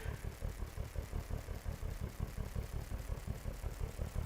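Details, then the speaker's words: Whiskey grill using Dodge Charger fuel injectors, fired by an Arduino Nano and lit by propane flames: quick, even injector clicking about three per second over a low roar as the burner catches; normal firing. "Okay, it's clicking. Now it's going to take a minute to get the whiskey up there."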